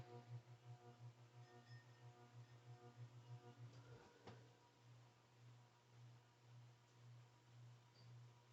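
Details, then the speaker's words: Old Atlantic Air 36-inch ceiling fan: loud steady low hum with rhythmic wobble about three times a second, noise worsening over time; cause unclear, fan to be replaced. "this 52 inch hampton bay fan which will be replacing the atlantic air spinner in my parents room because it's just so loud it's gotten worse"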